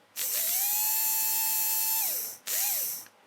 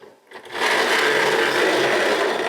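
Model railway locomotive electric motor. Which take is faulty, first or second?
second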